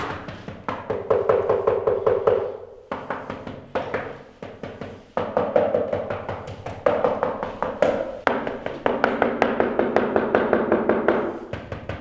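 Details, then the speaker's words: Tap test on newly installed wood-look porcelain floor tiles: quick taps give a hollow, drummy ring instead of a solid thud, because the installers did not use enough glue underneath. "So basically, my dad's checking the tiles, the way they glued them down, and you can see that several tiles sound hollow because they weren't stuck down with enough glue."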